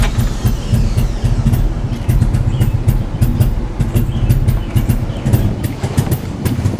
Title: Toyota MR2 Rough Idle